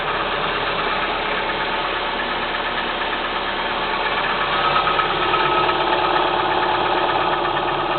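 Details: Kia Spectra 1.6 engine at cold idle: a regular light tapping, roughly three knocks a second, over the engine hum; knocking on a cold start, cause suspected but not confirmed.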